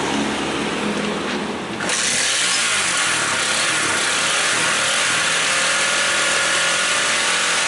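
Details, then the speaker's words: Honda CB150R after fixing no-start (fuel pump not humming, no spark): cranks and catches after about two seconds, then holds a steady, even idle with no misfires; battery 13.2 V engine off, charging checked normal. "Coba kita hidupkan motornya. Ini sudah hidup motornya."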